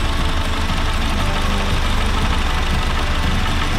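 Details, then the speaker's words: Honda Fit GD3 idling with AC on, fan running, sight glass shows gas not overfilled: uneven low rumble from the AC compressor that was absent earlier; likely a worn compressor. "あ、コンプレッサーだね。コンプレッサーね、ちょっとゴロゴロと音出てます。さっきは出てなかったんですね。"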